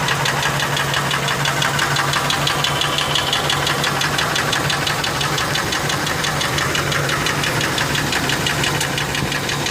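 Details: Ford F150 4.6 two-valve V8 running with a sharp, fairly regular tap about three per second; first thought lash adjusters but ruled out, rod bearings suspected, owner also wonders if it comes from the clutch.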